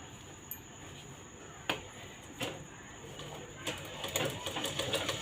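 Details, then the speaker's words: Sewing machine after rethreading and reseating the bobbin case until it clicks firmly: light, even needle-mechanism clicking about three stitches a second, no knocking or grinding; earlier loud noise gone and stitching now proper. "बघा आता आपल्या मशीनचा आवाजही कमी येत आहे आणि शिलाई आपली व्यवस्थित व्यवस्थित आलेली आहे"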